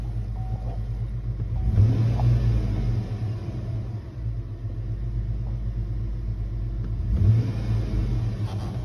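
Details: 2007 Chevy Tahoe 5.3 V8 after cleaning a very dirty throttle body, which then caused 2000 RPM idle; after scanner idle learn reset, settles into steady low idle rumble with no surging, normal idle.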